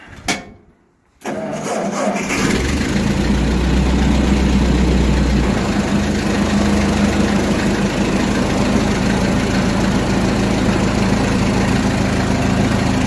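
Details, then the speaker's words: Ford 8N tractor, 6-volt system, cold start after 4–6 months unused, after carburetor rebuild and new plugs and wires, in neutral: short crank catches almost instantly then settles into a steady, even idle; starts and runs cleanly. "how fast at that start it started like almost instantly that's how it should be"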